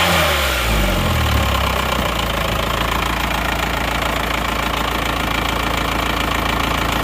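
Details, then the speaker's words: Diesel with a previously broken crankshaft, now serviced with a replaced rotor head and the pump returned to standard: after a brief rev it settles into a steady, even idle with normal injector clatter, no misses or knocks, and clean exhaust smoke; normal idle. "Nah kita coba dulu ya suaranya itu bagaimana kalau menurut saya ini sudah bagus sudah oke"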